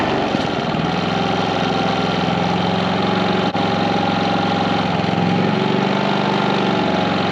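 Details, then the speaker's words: 4500 W generator on a 30 A RV plug, with soft starts fitted to 15,000 and 13,500 BTU RV air conditioners: the generator hums at an even pitch as the AC compressors kick in, barely sagging. Both units start smoothly with power to spare. "okay so the question was will a 15 000 and a 13 5 run with this all star rv on both of them on a 30 amp service the answer is yes with power to spare transition of the compressor is kicking in so much smoother"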